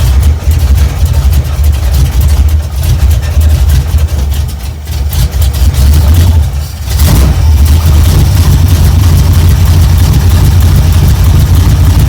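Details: 1972 Chevrolet C10 V8 started cold on choke with a battery charger attached: it floods briefly, dips, then settles into a deep, even idle with good oil pressure and warms up healthy.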